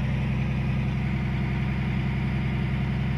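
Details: Caterpillar 345 excavator diesel after ECM replacement for intermittent up-and-down acceleration (error 36-268-2, intake boost pressure sensor); steady even idle, smooth low rumble, no misses or surging; no error codes showing, healthy.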